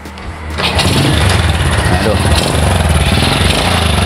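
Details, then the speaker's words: Honda Supra Fit motorcycle, owner complains it's noisy and feels heavy/lacks power; starts and runs at quick idle with uneven clattery beat; mechanic suspects worn piston rings, scored piston and block, slightly loose cam chain. "jadi disini temen-temen perkiraan saya Hai jelas bagian ring Piston sudah kena Ayah sudah aus ya dan juga bagian rantai kamrat juga agak kendor"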